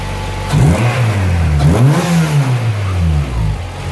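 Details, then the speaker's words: Honda Prelude H22 after replacing the leaking intake manifold gasket (vacuum leak causing idle surge): couple of quick rev blips then a smooth, steady idle with no surging. "got a nice Idol now doesn't go No"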